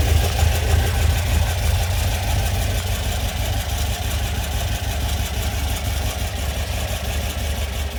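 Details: Classic air-cooled VW Beetle flat-four, freshly rebuilt after 1.5 years (engine and transmission out, axles off), warm idle set really low: steady rumble with slight cam lope, even firing, no knocks; running well, normal idle.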